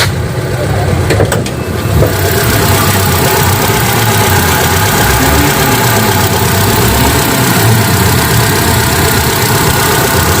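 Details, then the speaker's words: 2001 Hyundai Atoz GLS with AC off: steady, even idle with a smooth low drone and no knocks or misses; normal engine idle. "nah suara mesinnya seperti ini ya kalo mau lihat ini suara mesin tanpa asyik"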